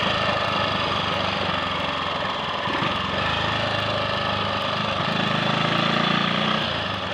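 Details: Triumph Sports Cub single-cylinder pulling under load on a road run after a fuel-tank clean-out of fine rust and a new protruded-electrode plug: steady beat, no misses or cutting out; owner suspects carb-needle crud for slight 1/2–3/4-throttle hesitation.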